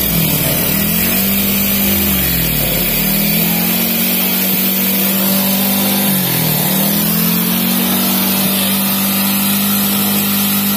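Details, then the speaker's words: Carbureted motorcycle unused for months, hard to start, after carb cleaner spray: warming up with steady even idle, a couple of brief dips and recoveries, running smoothly; normal warm-up idle. "nah ini motornya lagi dipanasi lagi SD Biar apa ya kita lancar lagi"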